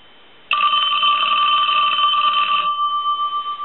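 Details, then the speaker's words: Western Electric Princess telephone, ring tested after receive-network repair; bright, clear bell ring of about two seconds that fades and buzzes out. Normal ringing. "sure that the Bell is still ringing and what we will do here is reinstall the belt but we're going to go ahead and ring it"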